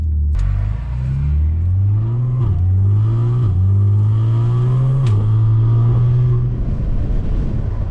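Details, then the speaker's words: Audi S4/S5/SQ5 3.0T with Integrated Engineering pipes, pull below 2,500 rpm: a deep raspy exhaust boom climbing in pitch under load, droning badly, rattly. "Hopefully you can hear that. Sounds like shit. Very raspy, very rattly."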